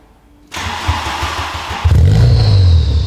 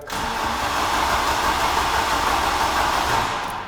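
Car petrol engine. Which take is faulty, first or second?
first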